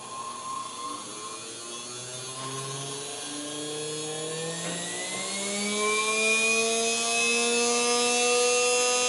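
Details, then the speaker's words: Motor of a 1954 Singer Featherweight 221-1, after cleaning its brushes, bench-tested on a rheostat from 120 V household current: a smooth, even whine rising in pitch with no catching or scraping. It runs healthy. "sounds like it's running really good i did clean off the brushes and put them back in"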